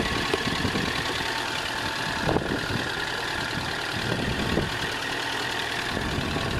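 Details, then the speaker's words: ZX, started with a booster pack: rough petrol idle with a steady deep knock underneath; bottom end bearings worn, leaking oil, needs engine rebuild. "and it's a little bit painful to listen to so that's why I don't want to run it long but basically bottom ends gone it's leaking oil and as a result it needs engine rebuild"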